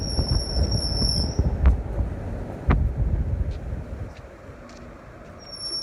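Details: Thin, steady high-pitched squeal cuts in and out over a low rumble; the Flex is squealing, source unknown.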